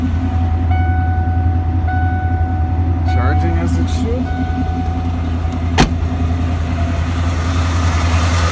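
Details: 1992 Ford F-150 after a belt change with a junkyard tensioner and the smog air pump deleted: steady low idle with a smooth, even run and no belt squeal or chirp; engine and belt drive working normally.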